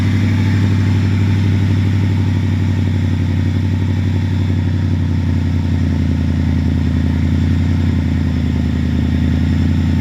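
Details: Ford V8 after 4V swap fixes, including ECU board cleaned with electrical cleaner and alternator AC ripple checked: idles steady and even with a deep regular beat, no misses or ticks, and revs cleanly; runs healthy.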